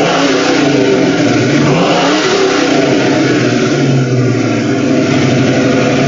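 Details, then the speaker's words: 1970 Ford Mustang Mach 1, 351 Cleveland with four-barrel carb, FMX automatic, dual Flowmaster mufflers, already warm with the fans running. Loud burbling V8 rumble swells with each throttle blip and drops back cleanly, no misfires. Owner says it's running a bit rich: normal start and rev. "not a cars a little loud you'll probably see how Big Rich it's running too she's running a bit rich"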